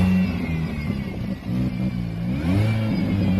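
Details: Stock Mini Cooper S R53 on first road drive in rain; engine revving with rough breathy chuff and rattle rising with revs: exhaust blowing and rattling.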